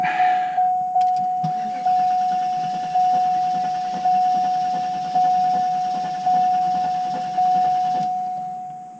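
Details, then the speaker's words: 1993 Cadillac Allante, about 94,789 km, not run since around 2005, oil full, cranked: starter whirs steadily with slow pulses about once a second for eight seconds; engine turns over but never fires. "Okay. So, it doesn't start, which hey, I mean, what do we expect? This is a car that hasn't run in 25 years."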